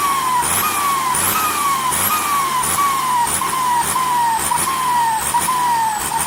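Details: SK200-3 AR42 turbo: high whistle near 1 kHz rising with each rev then sagging, about every second; singing, hissing turbo, cause unknown.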